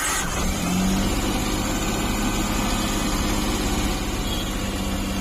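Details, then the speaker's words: CNG car that stalled and misfired when switched over from CNG, started after the fitting work was finished: the engine settles into an even, steady idle with a low beat and no stumble or miss; normal idle. "सब fitting हो गया इसका अभी हम गाड़ी चालू करके दिखा रहे हैं आपको अभी गाड़ी इसको स्टार्ट करते हैं"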